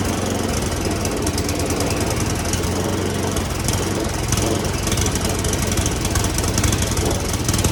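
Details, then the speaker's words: Roadside free snowblower said to have a toast motor, Seafoam sprayed into carburetor, smoking: small engine stumbles and surges unevenly, missing under the spray; rough running from dirty carburetor. "This is what I'm talking about. Yeah, little smokage going on here. So I'll try to seafoam a little longer, but that's an easy fix to try to do."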